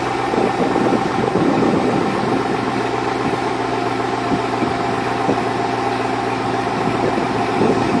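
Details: 2002 Chevrolet Avalanche, Vortec 5.3 V8, cold start: steady idle with a light, irregular ticking knock riding over it, evident piston slap.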